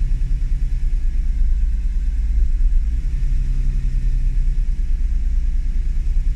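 Deep low rumble at idle with an uneven, pulsing beat and no clear miss pattern; idle sounds unsettled, cause not identified.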